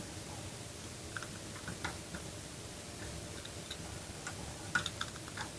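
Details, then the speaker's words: Ratchet wrench under repair that previously spun freely both ways, after disassembly, before threadlocker reassembly: light crisp ticks at irregular spacing as the pawl clicks cleanly; normal ratchet clicking. "Voilà, on entend bien le clici. Donc ça, il est impeccable."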